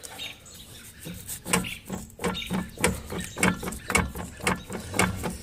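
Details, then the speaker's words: Ford Explorer transfer case, front output turned by hand: loose, uneven clunks about twice a second with faint squeaks from excessive slop. The worn, sloppy chain is being replaced. "listen to this it's got a lot of slop and play in it I'll do that I'll do that same thing to the front drive shaft here you can hear it even worse up here"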